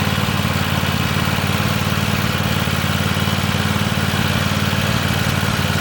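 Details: Free Weed Eater tractor, Tecumseh TVT691 two-cylinder, after oiling cylinders and oil and filter change, first run on gas, warming up: even steady putter at fast idle, regular firing, no misses or knocks. Normal idle.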